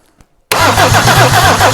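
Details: Mercedes OM diesel that has sat for years and never run, cranking on a bigger battery swapped in: brisk, even cranking at about eight compression pulses a second with no dragging or slowing; strong, healthy cranking.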